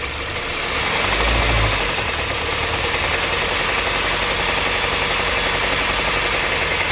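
Engine revs up then settles, with a quick ticking knock of roughly four a second riding over the hum; a knock-type noise, cause unknown.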